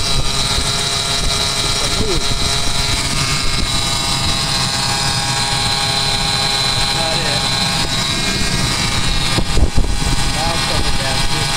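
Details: Ford 4.2L six truck engine idling with serpentine belt: steady high whine over running noise from worn idler pulley bearings; idlers were replaced.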